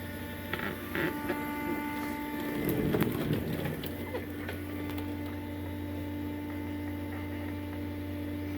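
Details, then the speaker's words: Cummins-swapped squarebody Chevy diesel truck after installing dual plastic fuel tanks with one filler neck: quiet, steady electric lift pump hum with brief clatter, sounds like it's pulling fuel, priming normally. "yep sure sounds like it's pulling fuel"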